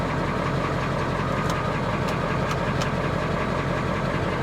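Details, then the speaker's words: Old Ford tow truck at a Copart salvage auction, jump-started with a booster pack and idling in neutral: steady, even idle with a constant low rumble, no knocks or misses. Oil pressure is good and dash readings look good; the engine sounds healthy at normal idle. "everything looks good on the dash good oil pressure she sounds healthy"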